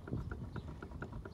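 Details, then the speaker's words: Renault Mégane wheel on a stand, spun by hand: rough, regular clacking about every quarter second, evenly spaced knocks. The wheel bearing is worn, with balls and cage worn out; the bearing is to be replaced. "dit ça c'est parce qu'ils les billes dans la cage de roulement en peuvent plus"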